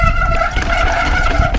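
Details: Loud, steady high-pitched disc brake squeal on a bicycle that holds while braking and cuts off as the bike stops, caused by oil-contaminated rotor and pads.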